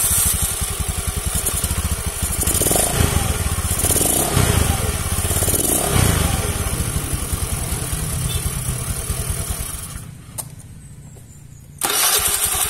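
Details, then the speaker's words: Carbureted Honda Beat that had a heavy starter with ticking even when jumped; after starter motor servicing and tightening the ground wire, the engine catches easily and settles into a steady, even putter; normal start and idle. "tuh kan jadi gampang guys"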